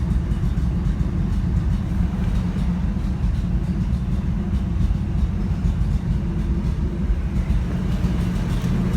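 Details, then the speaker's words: 1984 Toyota FJ60 2F, de-smogged, OEM exhaust manifold, 38mm carb, points ignition: low, steady, even idle just under 1000 rpm with no misses, knocks or rasps; clean idle, owner may retime it. "nice clean idle idle i'll probably have to retime it uh i haven't touched it since i got all this together of course i was trying to time it with vacuum leaks and we got an idle just below a thousand"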